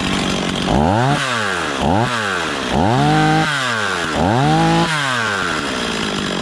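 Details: Stihl 026 chainsaw just after rebuild, first start and break-in, running thick fuel: four quick throttle blips climbing smoothly to high revs and back to idle without stumbling or bogging; runs well.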